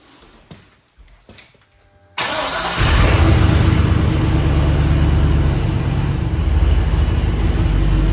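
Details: 1994 Chevy C3500 dually with a swapped LQ4 V8, just fitted with a homemade Y-pipe that has gaps. It cranks briefly, fires loud, then settles into a deep, uneven, loping idle; a little better but still running rough, with a wiring or injector issue suspected.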